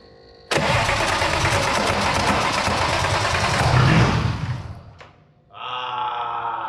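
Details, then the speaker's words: BMW E34 525i wagon after manual swap and EWS bypass, fuel and transmission fluid just added, fuel pump heard priming: starter churns about three turns a second for several seconds without catching, then cuts out; crank-no-start. "Not cranking. Damn. It's cranking multiple times now."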